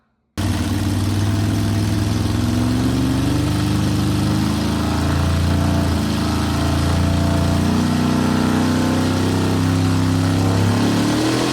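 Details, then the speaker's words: Record-holding all-motor Mustang, conventional big-block Chevrolet V8 (632–674 ci), on old roller dyno after wiring makeover, tire spinning: deep steady V8 roar under load, no misfire or knock; engine runs strong, healthy. "Um the engine runs strong, sounds good."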